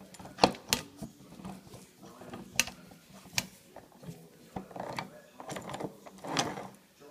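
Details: Jensen FF reversing: sharp, uneven ratcheting clicks over a low steady hum; a common, harmless noise on these cars that normally stops after a few miles; flushing the gearbox can help.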